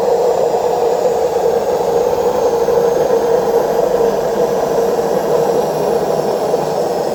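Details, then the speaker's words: Washing machine during spin: steady, hollow jet-turbine-like roar with no knocks; worn drum bearings, both bearings and the seal need replacing. "Cuando ustedes se encuentren con este ruido, es el famoso turbina de avión, es porque tiene problema en los rodamientos. O sea, hay que cambiar los dos rodamientos y el retorno."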